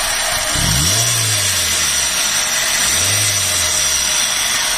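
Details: Chevrolet Tavera making loud noise after starting: idling engine buried under a loud, steady, high-pitched hiss and whir that does not change; worn belt tensioner pulley bearing.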